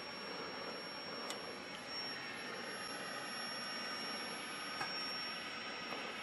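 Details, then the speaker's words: Admiral 20B1 television during restoration, first power-up: thin steady high-pitched whine over faint hiss and clicks, horizontal oscillator running. "I think that's six search sounds like the horizontals running"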